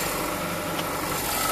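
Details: 2008 Honda Civic Hybrid, 185,000 miles, idling after a new Dayco 4PK1600 serpentine belt was fitted, auto tensioner still working: a steady, even idle hum with no squeal, chirp or slap, and the engine runs healthy.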